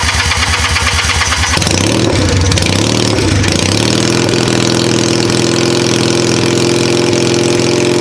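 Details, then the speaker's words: Cheap Chinese single-cylinder ATV, bad CDI bypassed with coil trigger jumper and jumper pack; cranks with rapid chatter, catches, steady even putter at idle; normal idle, clutch problem found when in gear. "and then uh r all right so it does run"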